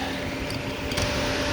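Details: 2019 Chevrolet Colorado, 61,500 on the odometer, after shutoff: steady whooshing air and low hum with no engine firing. The cooling fan runs on after shutoff, with the temp gauge dropping to minimum; it drains the battery and recurred after dealership repair.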